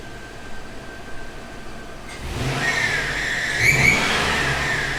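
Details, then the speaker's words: GMC Yukon with a used A/C tensioner pulley just fitted, idled and then revved: a faint high chirping rides over the engine and climbs with revs, possibly a dry tensioner or idler pulley squeaking, though it eased somewhat after running a while. "well sounds like there's a bunch of either superchargers or little birds in there"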